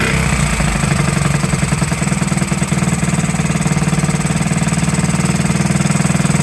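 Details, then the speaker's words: 1969–70 Honda Z50 after 35 years, picks up then holds a quick even putter without hunting or missing; smooth idle, points and carburetor never cleaned. "there you have it running after 35 years first like a kitten didn't even have to clean the points or the carburetor amazing now I have"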